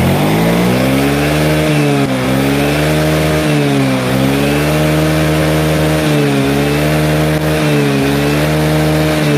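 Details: Yamaha Mio J fuel-injected scooter, now with a borrowed injector fitted: engine blipped repeatedly, climbing and dropping cleanly with no stumble or misfire; difference felt immediately, normal revving.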